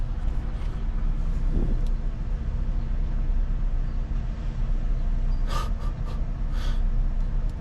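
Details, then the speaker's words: Volvo L180G wheel loader diesel cranking: heavy low drone for several seconds without firing; display shows engine failure, fuel level sensor and ECU errors, fuel gauge dead; owner suspects low voltage or out of fuel, unconfirmed. "Well, it did not sound too good that first crank. Maybe this one will be a little better."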